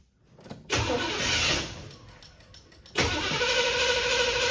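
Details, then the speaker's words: Chevrolet Monte Carlo parked 20 years with varnished old gas, fuel squirted down the carburettor vent tube: two bursts of fast uneven starter cranking, engine never catches; crank no start, apparently not pulling gas. "Yeah, I don't think it's pulling gas at all. It would have been running by now if it was."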